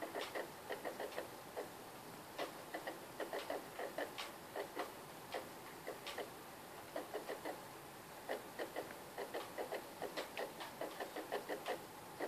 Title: Ps3 making noise